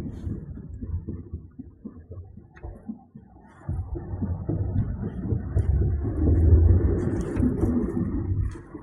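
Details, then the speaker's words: 2008 Hyundai Accent at 5–10 km/h before stopping: irregular soft low thumps and rustling, about three a second, from the rear; hubs are not hot, and the owner suspects hub bearings or a broken brake pad piece. "Хотелось бы узнать ваше мнение, что может такое шуршать с задней стороны автомобиля, особенно на малых скоростях, когда ты подъезжаешь к светофору. Звук такой, как будто бы в жигуляторе что-то на кардан прицепилось или там что-то цепляется."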